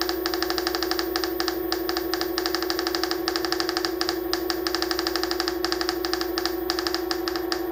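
A constant high whine with a fast, fairly even rattle of about two a second from the hub motor.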